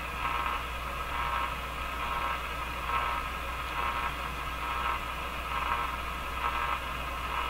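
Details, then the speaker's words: General Electric KL-70 AM/SW radio, broadcast band with strong signal-generator input: only steady static hiss, nothing getting through; dead band, previously installed capacitors suspected wrong, not confirmed. "well it's quite clear absolutely nothing is getting through this radio"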